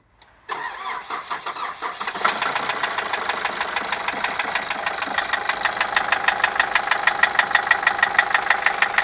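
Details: 2006 Nissan Caravan: engine catches, then settles into a steady idle with an even, sharp tapping about three per second riding over it; engine knock at idle.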